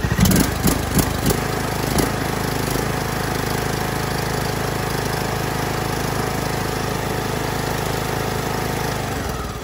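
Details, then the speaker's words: John Deere LA125, Briggs & Stratton 21 hp, 282 hours, previously ran terrible, after replacing the aftermarket carb with new OEM Briggs carb plus new fuel filter, plug and air filter, valves adjusted: a few startup clatters, then smooth even steady running, no hunting or misfire. "so it's getting there and it runs perfect so yeah I'm sure it was the carb that aftermarket one"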